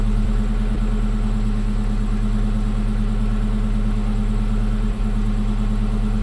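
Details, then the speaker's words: 1965 Chevy El Camino, rebuilt engine after timing adjustment, idling smooth and even with no whistle or popping; earlier screaming noise traced to loose carburetor letting air in underneath; normal idle. "Well, it's running really good. Yeah, that Like, sound. Really good."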